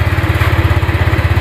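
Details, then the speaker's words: Honda Vario 125 scooter with weak battery, kick-started; stumbling, pulsing low idle that sags as if about to die, owner suspects late fuel delivery; rough idle after stalling while riding, tank recently drained of dirt, fuel and spark plug replaced. "yaah tapi kayaknya mau mati nih nih ngadat-ngadat nih ya seperti minyaknya tu nelat suaranya ngadet-ngadet"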